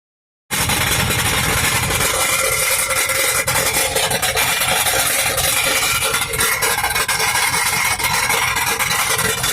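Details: 2004 GMC Yukon Denali V8, 300k, after trans line popped and fluid refilled: loud tinny uneven high-pitched rattle in park and reverse; not engine knock, revs clean; flywheel/flexplate suspected, unconfirmed.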